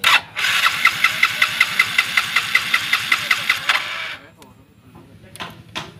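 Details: Yamaha Mio J fuel-injected scooter whose injector sprays continuously at key-on: steady starter cranking for about three seconds with no firing, then silence; won't start, injector stuck open.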